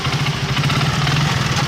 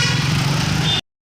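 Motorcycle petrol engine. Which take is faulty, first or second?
first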